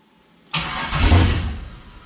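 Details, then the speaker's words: 6.0 V8 swapped into a CUCV, first start with the coolant system not yet connected: the starter cranks, the engine fires with a brief deep rumble, then dies within a second. Something is suspected to have been missed in the PCM tune. "I'm starting to think I missed something in my MI tune I think I missed something yep I think I missed something"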